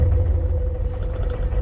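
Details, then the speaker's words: 2002 Cadillac SLS Northstar V8 started on a jump pack: low, uneven idle rumble that swells and sags with shaking, no lifter tick; rough idle with surging, cause not yet pinned down. "surging, too. Yeah. Know, this is definitely not perfect. See that? Shaking. Not running good."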